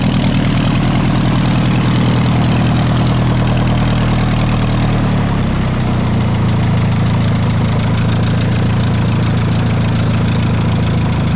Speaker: all right so I got the airboat running today which is exactly what I wanted to do today motor running attack ship pretty good